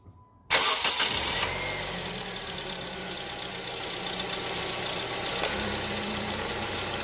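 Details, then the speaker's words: Hyundai Tucson after replacing the belt tensioner and pulley, whose bearing was noisy: the engine catches and settles into a quiet, even idle with the AC on loading the belt. There is no hum or whine from the pulleys, and it is much quieter than before. "Alright guys, so that's perfect. It's a lot quieter now. No noise."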